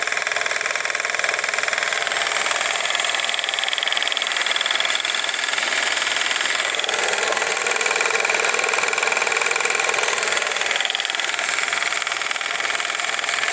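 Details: 1955 Viking Type 21 sewing machine after motor and machine optimization: fast, even high-pitched whir with no knocks or drag; motor runs strong and healthy at high speed.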